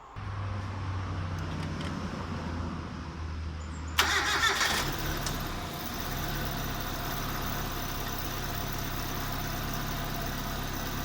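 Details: Proton Gen 2 twin-cam fuel-injected engine, first start after refitting a skimmed cylinder head with new top-overhaul gasket set and radiator cap: cranks, catches, briefly flares, then settles to a quiet, even idle without misses.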